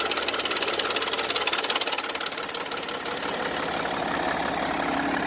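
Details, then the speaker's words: 2013 Mercedes GL350 BlueTEC, 3.0 L OM642 diesel, at cold start; fast, even metallic rattle over the idle for the first seconds, fading as it warms; owner attributes it to the timing chain or tensioner and plans replacement; cold start rattle. "so if the cars making that noise go ahead and check your timing chain if it's been stretched or anything tensioner and decide for yourself that this would place be replaced or not that's pretty much how it sounds"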